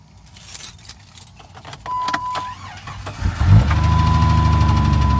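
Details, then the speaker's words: Jeep engine started with key, steady tapping about four per second at idle; owner unsure whether motor knock, piston slap or lifter tick; noise goes away around 2,000 rpm. Engine ticking at idle. "This thing, I don't know if it's a motor knock, piston slap, lifter tick."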